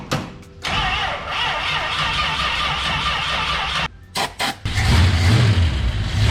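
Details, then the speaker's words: Plymouth Belvedere with stock 383 V8, battery needing a charge, started with a little ether: short crank, then it catches, stumbles, cuts out, fires again and settles into a steady rumble. It starts up pretty good on ether. "So just with a little bit of ether, she starts up pretty good."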